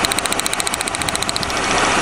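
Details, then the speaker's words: 1997 Lincoln Continental, cold start, misfiring on one cylinder: rapid chugging pulsing miss unchanged with this plug wire pulled, so cylinder number two is not firing; coil pack appears ruled out, plug and compression to be checked. "alrighty it's running exactly the same as yesterday yeah you can hear that pulsing miss"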